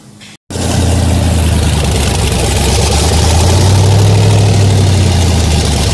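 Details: 1981 Toyota Starlet with LS-swapped L76 V8, twin turbos, after balancer change and new antifreeze, idling to bleed coolant: steady deep idle, even firing, no belt squeal or chirp; normal.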